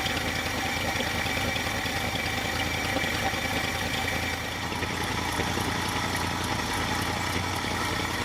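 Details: 1966 Ford F250, carbureted, after the fuel tank reinstall: an even, steady low idle rumble with no stumbles, knocks or surging. It runs on clean fuel with no leaks; a normal idle.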